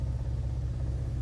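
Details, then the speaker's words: Ford Ranger Raptor idling in drive after S&B intake install: fine metallic buzz and quacking noise, worse with a little gas, gone in neutral, park and reverse; caused by a loose intake bracket bolt on the truck — intake bracket rattle. "You can hear that rattling. If I give it even a little bit of gas. I don't know what that quacking duck noise is."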